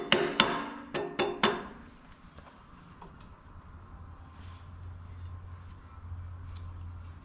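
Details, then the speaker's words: 6.7 Cummins with P-pump injection pump and adjustable timing gear installed, base timing set: four sharp metallic clicks as the pump drive gear is rocked by hand, showing the normal gear lash that needs to be present. "okay so we do have a little bit of you can hear the gear lash in there that's something that you want to check to make sure that you have gear lash"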